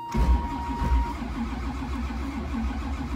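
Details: 1985 Camaro Z28 with restored dual-carb 383 stroker, cold start around two degrees on weak battery: slow, labored cranking with steady rhythmic churn, never catching; battery charger then added, only a pop; cold no-start.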